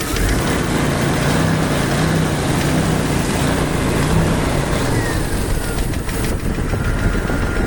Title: Ticking noise Jeep YJ 4.0